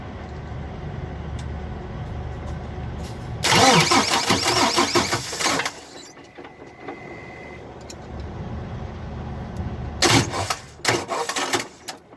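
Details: Freightliner Cascadia truck with a bad starter and no response from the key, started by bridging the two solenoid screws with a screwdriver: a sharp burst of heavy cranking, then short clattering bursts. A check engine light for the DPF came on afterward.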